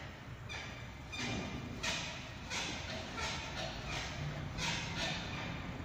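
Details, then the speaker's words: Toyota SW4 front suspension: repeated sharp metal-on-metal knocks when rocked or on angled pavement, from torn lower shock absorber bushing, front left. "é bucha inferior do amortecedor na tvcn se vocês forem atentos para perceber que ela rompeu"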